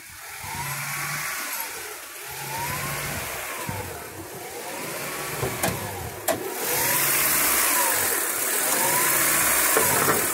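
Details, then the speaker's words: 2000 Honda Prelude SH (H22) warming up, off the throttle, hunting up and down at idle about every two seconds. It holds steady rpm without misfiring when the pedal is held. This surging lasted six months before being fixed. "but if I let it sit down at idle this is me off the pedal it just does this at an idle until it starts warming up and then when it warms up it goes crazy"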